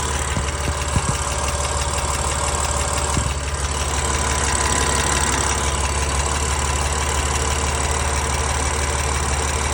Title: S55 Cold Start Ticking Noise